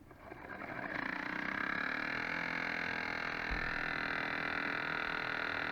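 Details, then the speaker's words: Dishwasher being repaired, testing the drain cycle after pump work with hoses nearly empty: thin whirring hum rising then holding under a faint rattle; noisy pump. "Ah là a fait du pot. Elle fait du potin ma pompe."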